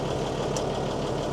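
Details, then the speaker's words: Mercedes-Benz 911 4WD diesel truck, first start after sitting about 8–14 years: steady, even diesel idle with smooth low rumble, no knocks or misses; good oil pressure building, sounds healthy, normal idle. "And she's got good oil pressure. It's building there. Unbelievable. Sounds amazing."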